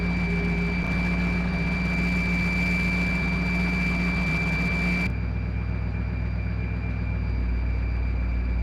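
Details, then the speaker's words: 1955 Willys wagon running after carburetor work, first start before its first drive: a steady high whine over a low, even idle. Source unconfirmed; owner suspects a vacuum leak. "Well, it's running a lot better, but I'm not sure what that noise is. Oh, we got a vacuum leaf or something."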